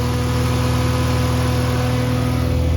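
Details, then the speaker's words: BMW E46 electric engine cooling fan switched on via an added manual override switch (80 ohm resistor), which makes the temperature reading jump from 11 to 123 degrees; after a short delay the fan runs at full speed with a steady, even whoosh over a smooth idle, working normally. "So the fan will kick on in a moment. Now it takes a little moment to turn on, but yeah, you can hear it running."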